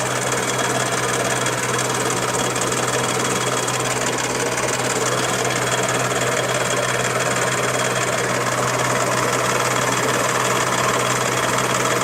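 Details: Daihatsu Charade engine at idle: fast, even ticking knock about four per second with no change across the clip; engine knock of unknown origin.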